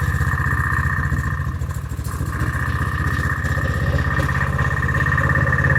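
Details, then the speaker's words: Honda-engined side-by-side ATV running rough: struggling, with valve-tapping sounds under the valve cover and popping like a valve not seated properly; owner says the carburetor needs replacing. "Yeah, she's struggling a little bit. I'm hearing a little bit of valve, sounds like valve tapping going on underneath the valve cover. I'm hearing a popping noise like a valve's not seated properly."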